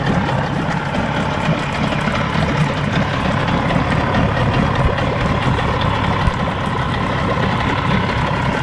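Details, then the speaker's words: 50 HP Evinrude/Johnson outboard on a Sea Nymph boat, older long-sat motor after tune-up, just cold started: steady even low idle, smooth deep burble, no misses or knocks, water flowing fine; normal idle. "fine guys I love that that idle especially especially on a motor this age um a low idle is something that is one of the hardest things to get"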